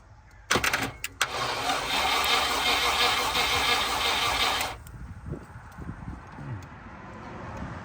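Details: Range Rover Classic 3.5-litre V8 standing 21 years, with a suspected immobilizer; spark confirmed after distributor work but likely no fuel: steady fast starter whirr for about four seconds with no catch, cranks but won't start.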